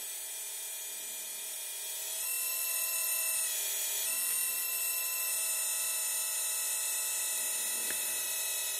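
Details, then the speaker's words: RC Hidromek excavator model (CSMI) hydraulic system after topping up with hydraulic jack oil to cure cavitation: small pump's thin steady high whine runs smooth as boom lowers, plenty of oil circulating, no bubbles, no gurgle or rattle; normal hydraulic pump run. "you can see now there's plenty of oil circulating and there there's no bubbles anymore so that's a good indication that the hydraulic system is now healthy"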